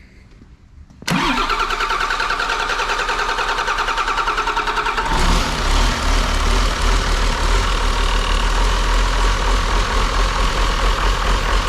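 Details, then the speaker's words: Auction-bought John Deere diesel engine of unknown condition, after bleeding air from fuel on gravity feed: brief crank, then fires right up into an even, steady clatter; runs good. "yeah it runs good sweet guys all right about a non-running engine unknown condition we got lucky this time it fired right up"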